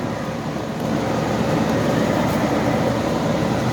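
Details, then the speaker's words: 1984 Carrier 2.5-ton AC condenser with newly installed ICM 870 soft starter: steady, even whoosh of outdoor fan alone, no compressor hum; soft starter in on-delay mode, about 3–5 minutes before compressor starts, normal. "Alright guys, so the system just started again. Only the fan came on, and once again it's flashing that it's in the on delay mode. So I guess for my setup, it's going to be a 3 to 5 minute delay before the compressor starts."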